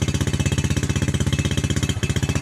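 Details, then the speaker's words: Yamaha New Jupiter Z with delayed starting, high fuel consumption, weak power and fouling plugs; at slight throttle the exhaust beat is fast, choppy and uneven with a stumble, brebet misfire: rough running misfire. "Nah kalau kasih sedikit kayak gini nah itu dia merebet helm operasikan suara anak kota ya suaranya itu enggak enak banget"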